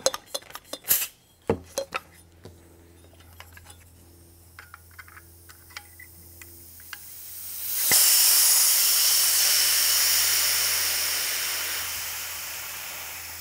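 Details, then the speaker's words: FX Maverick air rifle with dual regulators, first regulator set near 175 bar: clinks and handling, then a loud steady hiss slowly fading as pressure is bled off to adjust the second regulator; normal pressure bleed. "when you get below let's say 50 bars we could screw this in there's no resistance here bleeding pressure and we'll screw it in before we lose a lot of air"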